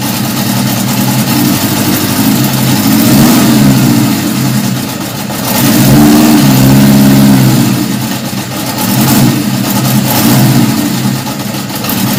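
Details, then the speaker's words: 1977 Honda CB750 F2 on first start after a complete engine rebuild, 115 main jet, stock airbox, mixture screws 1.5 turns out; rises and falls through blips, never quite steady, thin note. Owner suspects it runs lean and needs more fuel. "it's kind of lit sound like it needs a little bit more gas so i might give it just a quarter of a turn out at a time test that out"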